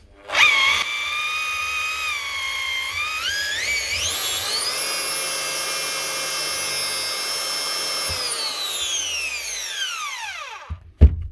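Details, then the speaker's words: Power tool spun up after reassembly, where one loose screw was found, with a high steady whine that coasts down. The sound is not quite right, though bearings and armature are fine; the gears are suspected to be starting to wear. "I don't think that sounds exactly right but bearings aren't gone armor are still good so un last the gears are just starting to wear"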